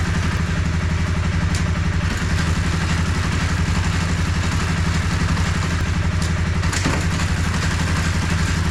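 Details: 2013 Honda CBR250R single-cylinder motorcycle bought cheaply at auction, on a paddock stand after clutch cable free-play adjustment: even, fast putter at idle, about four beats a second, no misses or clatter; healthy idle.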